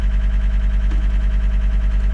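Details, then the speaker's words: John Deere tracked skid steer (believed 329D) after releasing the park brake: rapid steady pulsing warning tone, about ten pulses a second, no engine audible; left joystick not-centered alarm, cause undiagnosed. "okay so it's saying left joystick not in Center so it's fussing about this joystick saying it's not in Center"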